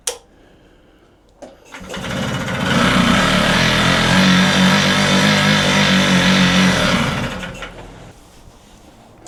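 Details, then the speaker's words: Puch Maxi moped being pedalled with timing set about 14 degrees before top dead centre, compression and spark present but plug dry: steady churn with soft regular puffs near three a second, never firing; cranks but won't start, fuel supply suspected. "I think we've pretty much got the timing right, but the plug was dry, wasn't it? Got compression, got spark. Don't think we've got fuel."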